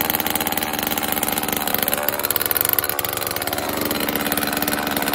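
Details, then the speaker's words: Homelite XL chainsaw after a carburetor rebuild, new fuel and oil lines and reassembly, cold-started on choke: fast, crisp, steady buzz with no misfire and chain oil now flowing; a slight low-speed mixture adjustment was made. "so after a minute or so there's oil coming out of it had to make one more slight adjustment on the uh the low and I think I'm good to go"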